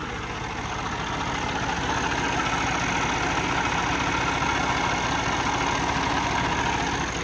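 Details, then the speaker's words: Truck diesel restarted with starter fluid after misfiring, white smoke and no-start during an oil change (owner suspects flooding or low oil): steady idle with even clatter, three or four beats a second, no longer smoking, running healthy. "So starter fluid saved the day. It's not smoking anymore."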